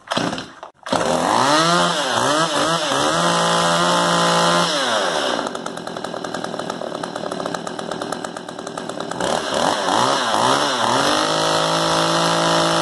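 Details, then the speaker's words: Stihl MS192 TC chainsaw that bogged and wouldn't idle, bogging worse when turned sideways, after the fix for a bad metering diaphragm: crisp throttle blips, then a steady even idle without bogging. "Seems to be fixed to me. Runs good. Idle's good."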